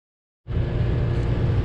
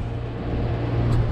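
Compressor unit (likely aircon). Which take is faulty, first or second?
first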